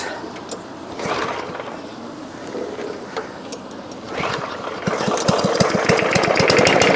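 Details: Old push mower after repair and oil change, mowing grass: small single-cylinder engine pulling steadily, its rapid beat firming up; healthy running under load.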